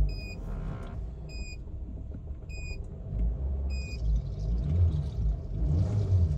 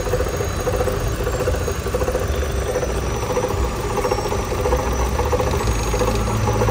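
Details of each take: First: Chevrolet Cruze 1.8 engine idling after the strange noise was repaired: low, even rumble with no whine or grinding and a few chime beeps; only normal cam gear noise remains. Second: Chevrolet Cruze 1.8 engine at idle: steady idle with an uneven, rough rattle and a faint high squeal on top; abnormal engine noise, cause not confirmed.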